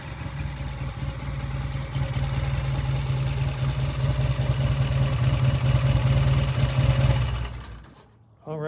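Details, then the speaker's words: Original-paint 1966 motorcycle with a steady, even putter that pulls off idle cleanly without stumbling, then settles and shuts off; the pilot air screw was turned out about 1.5 turns, giving a smooth off-idle transition from pilot jet and air screw. "did you know did you see the difference when it came off of idle this first eighth of a turn right here this is what's controlled by the pilot jet and the pilot air screw"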